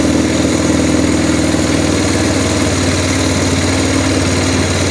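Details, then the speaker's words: Arctic Cat 400 4x4 quad just fitted with a new carburetor, fresh gas and charged battery, freshly started: steady single-cylinder idle a touch fast, easing down as the idle screw is turned; owner thinks idle a little high. "And the idle doesn't actually sound that bad on it. If nothing, it's probably idling a little high, actually, I think."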